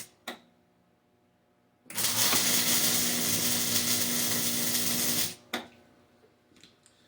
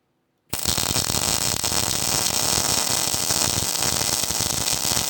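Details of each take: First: Hobart Ironman 240 MIG welder with the ground clamped directly onto the workpiece. A steady, even frying crackle lasts about three and a half seconds with no popping or stuttering: a good, stable MIG weld. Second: Hobart Ironman 240 MIG welder at weld start with C-clamp ground on the table: arc strikes with a rough, spitty crackle before settling into steady frying; sputter from poor ground, not the wire run-in feature.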